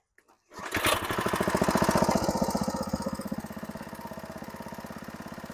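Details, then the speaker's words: Craftsman 5 HP tiller, Briggs & Stratton horizontal-shaft engine, after replacing a pulsing new fixed-jet carburetor, air cleaner off: even, unwavering beat near four per second with no hunting or surging; running normally. "well that sounds pretty good well as you can see we don't have any pulsing now"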